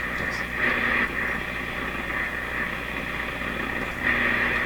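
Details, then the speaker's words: General Electric C600 radio on AM around 1,500 during alignment after capacitor replacement: constant hiss with buzzing tone near two kilohertz, no station audible; strong shop electrical interference swamping the signal. "two things happen again the noise is so loud you can't even pick up the signal over the noise signals in my shop were very powerful"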